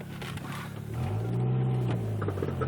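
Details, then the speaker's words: AC off, driving: low engine drone with faint, irregular ticks and clicks from the bad right-side CV axle; also clicks when letting off the gas or shifting, sometimes wavy under acceleration. "now uh that's a Telltale easy sign that if you have a bad CV axles you'll hear it clicking on the side that's bad and my right side is shot"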